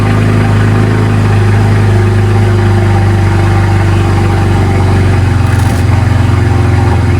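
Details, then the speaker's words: BMW Z4 N54 first start, not yet warm, after walnut blasting the intake valves and new gapped spark plugs, not run in a while: steady, even low idle with a smooth deep rumble and no knocks or misses; sounds healthy. "But she's sounding good. She hasn't ran in a while. So I'm going to let it get up to temperature."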